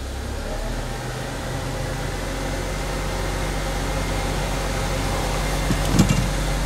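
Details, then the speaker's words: Car with speed-dependent front noise, right front jacked up and wheel turned slowly in gear: low, steady rumbling growl following the wheel, stopping when braked; right front wheel bearing bad. "I can hear the noise you definitely hear the noise on this side this side jacked up so that means this particular case the right front wheel bearing is bad"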